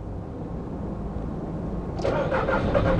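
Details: 2002 VW Polo 1.2 three-cylinder AZQ petrol with new fuse fitted: starter cranks steadily about four turns a second with no catch or firing; no more relay clicking, fuse checking live both sides, still cranks but won't start.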